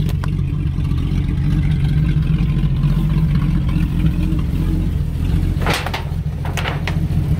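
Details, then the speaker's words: 1950 Chevy custom that sat outside 21 years, first run on a small temporary fuel tank with good oil pressure: smooth, even low hum with a couple of light clicks, purring along. Normal running. "listen to that thing run it's just purring just furry it's got good oil pressure and everything"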